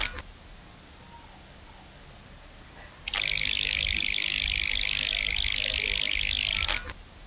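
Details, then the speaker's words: Loud harsh hiss-buzz switches on when a PC's power connector is plugged in and stops when unplugged, heard through microphone recording and speakers; ground-loop interference fixed by a wire to a grounding rod. "power connect to this Buzzing sound, unplug to power connector no buzzing."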